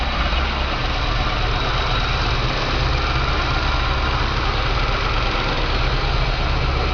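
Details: VW Pointer, parked six months because the owner thought an engine noise meant internal damage; after the diagnosis and fix, a smooth, even idle with a steady low drone and no knocks or rattles; healthy engine.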